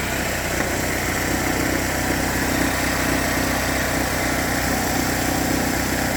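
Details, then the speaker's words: Engine with P0011 code after cam/crank timing mark work and reinstall, just started: even, steady idle with constant hum and light valvetrain whir, no rattle or knock; runs smoothly. "clean that little area all right it sounds good um I'm going to give it like 3 minutes let everything circulate and then I'll hook the scan tool up and see what I got going on"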